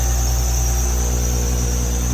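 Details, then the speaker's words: Crash-damaged 2017 Audi S5 on first start after a turbo seal rebuild and fresh Motul 5W30 oil, no coolant yet: even idle with a thin, steady high-pitched squeak, probably the belts (unconfirmed); engine otherwise sounds sweet. "Probably just the belts. Yeah, sounds like the belts, but engine sounds sweet."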